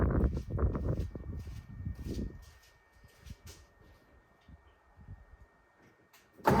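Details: 1957 Lincoln Premiere: slow, uneven starter churning that fades with no catch, then a final burst of cranking. Crank, no start; owner suspects weak battery, weak starter, stuck bent valve.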